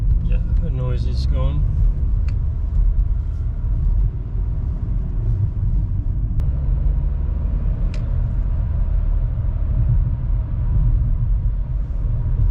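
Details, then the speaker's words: VW Golf Mk5, 50,000 km, road test after cable-tying the fuel hoses that were moving inside the frame following a fuel filter change: a steady road rumble on the move, with no rattle from the right-side interior. "So let's call this job done. No more weird rattling noises coming from the inside of the car."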